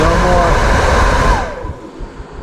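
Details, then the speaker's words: 1972 Mercedes-Benz 280 SE 4.5 (W108) AC cabin blower motor, reassembled in its housing on the bench on a 12 V battery after bearing cleaning and lubrication: smooth, even whir that winds down cleanly when power is cut, with no squeal or scraping; healthy. "I have to hold it it's really quite torky there I started wants to roll see how nice that is rolling nice"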